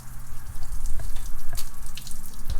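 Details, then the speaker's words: Turbocharged race car with AMP EFI at first startup, big fuel pump priming: a steady hiss and splatter of fuel spraying, with drips. Fuel is leaking everywhere from one fuel line that was forgotten and left disconnected. "a bit of it on my debt there's the one line that we forgot to connect"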